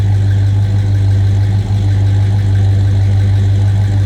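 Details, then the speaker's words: 1969 Buick Wildcat 2-door hardtop V8 at idle: deep, even rumble with a steady low beat, no knocks or misses; engine sounds healthy. "Hey, listen to this. A little rumble coming out of that"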